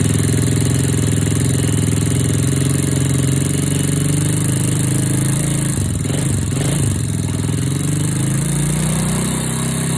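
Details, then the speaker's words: Honda Wave/C70-family single-cylinder motorcycle after new cylinder, piston, rings, cam chain, tensioner and oil pump gear; idle with a brief blip, light quick valve ticking from loose clearance needing adjustment. "โอเคเสียงที่ได้ยินแต๊กๆๆๆๆเป็นเสียงของวาล์วนะครับเดี๋ยวขออนุญาตตั้งวาวสัก"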